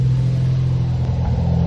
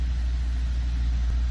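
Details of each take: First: 2014 Ford Focus ST 2.0L EcoBoost at cold-start idle: uneven stumbling pulse with soft pops at the exhaust from misfires on cylinders 2 and 4 (1 and 3 fine). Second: 2014 Ford Focus ST 2.0L EcoBoost, warmed up and idling, runs with an even, steady rumble and no recorded misfires; it was diagnosed for cold-start misfires.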